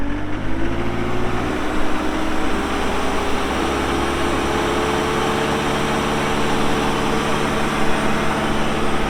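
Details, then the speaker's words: 2018 John Deere 331G skid steer, about 1,803-1,809 hours, loaded with options: engine catches, revs rise briefly, then steady even drone, no knocks or misses; normal start and idle. "So pretty well loaded up machine. Starts up, runs good."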